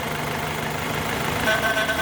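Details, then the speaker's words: Renault Megane 2.0 16-valve automatic, 2010: steady idle roughens and shifts tone when the dipstick is pulled. Suspected worn valve cover diaphragm (crankcase ventilation) letting air be sucked in, causing noise during gear changes; idle change with dipstick removed. "aí você fecha aqui quando você tira a vareta e solta também o motor também altera"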